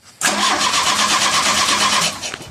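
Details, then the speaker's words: 1985 Shelby Charger after a new larger fuel pump, tank, plugs, wires, coil, cap and rotor, with a suspect positive cable connection: about two seconds of fast, even cranking with no firing; fuel pump suspected not priming. "All right. Well, we have crankage again. That fuel pump I don't think was priming still, though."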